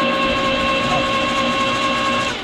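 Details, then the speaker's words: 1951 Studebaker 6-cylinder petrol engine during a compression test on cylinder six; the starter spins it in a smooth, even whir with no compression slow-downs: cylinder six has no compression, a valve possibly sticking. "you can also you hear how the engine now just spins freely all the other cylinders it was like that slow down is the compression so this cylinder is completely dead it has no compression whatsoever"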